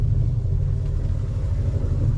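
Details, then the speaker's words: Boat generator heard from inside the cabin: a deep, steady low drone with no knocks or misses while it is quiet outside. Its vibration carries through the mounts into the hull; owner considers rubber isolation. "That's very quiet outside, but listen to the vibration of it."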